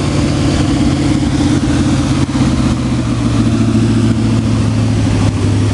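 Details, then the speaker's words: Carbureted New Yorker, unstarted for months and buried in snow, cold-started after pumping the accelerator and cranking: starts quickly, steady even low rumble with smooth rev blips rising and falling cleanly, no knocks or misses; normal running. "I've never started so fast Magic Touch Magic wow it's running"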